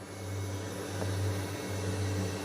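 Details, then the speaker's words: MK4 R32 twin turbo, first power-up with new equipment, fuel system priming: smooth steady low electric hum with faint constant whine, no longer rattling as before; normal fuel pump operation, fuel leak found just after. "so there we go that sounds a lot better before it was still rattling yeah you can definitely hear fuel going through that"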